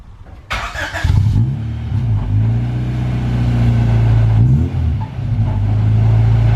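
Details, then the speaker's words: Honda Civic EG6 moving under its own power for the first time in 2.5 years: engine pulls and holds a steady drone with rough, uneven buzz and hard rattling; source not pinned down, possibly loose items on the floor. "yeah I can hear it yeah science rattling real hard that's are you sure it's not just the [ __ ] [ __ ] on the [ __ ] floor from the vibrations"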